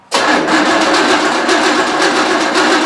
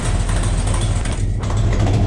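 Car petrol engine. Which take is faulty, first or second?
first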